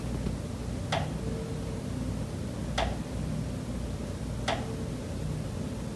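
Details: Condo unit, September: sharp single knocks about every 1.8 seconds over a quiet room hum. Pipes behind the kitchen wall knock constantly day and night, audible through the kitchen and living area; cause unknown.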